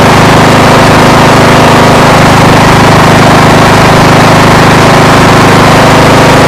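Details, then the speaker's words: Craftsman LTS1500 rider, 17.5 hp Briggs & Stratton, running after alternator stator replacement and charging test: loud ragged idle, uneven beat about three pulses a second; bearings have play and it needs a tune-up, running rough. "the bearings have got play in it needs to be tuned up you can hear some of the running on it it's not running at its best"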